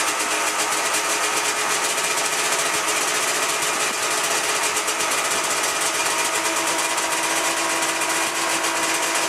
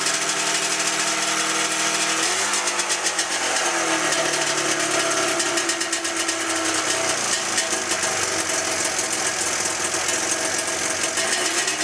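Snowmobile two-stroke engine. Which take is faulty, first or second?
second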